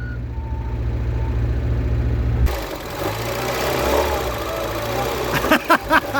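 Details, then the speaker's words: Mazda MX5/Eunos Roadster off the road 13 years, first start on two-stroke oil mix: even steady low idle with no knocks or misses, then smooth rise in revs; healthy running. "god it's perfect it smells like a lawn mower listen to that i am delighted"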